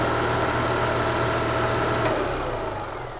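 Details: 2004 EZGO TXT gas golf cart during full service: smooth steady idle thrum then easing off, charging system holding about 14.5 volts; healthy idle, battery good on load test.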